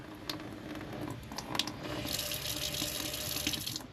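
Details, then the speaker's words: RV fresh-water pump with an intelligent duty-cycling controller, pump pressure set screw turned up from about 35 toward 45 psi: smooth, even rush of water from the tap on low with no pump pulsing or pipe banging. "And now when you turn on low, you can't even hear the pump. It's not pulsing. There's no more no more pipes banging or anything."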